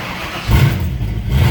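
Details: Rusty 289 V8 Mustang after coolant leak repair, oil change and dash rewiring: after a few pedal pumps fires up and blips into a deep even rev with steady low rumble, no knocking or stumbling; oil pressure coming up.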